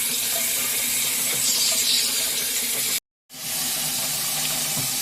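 Steady hissing water flow, briefly cut, then resuming evenly; the softener is drawing brine and rinsing normally during regeneration.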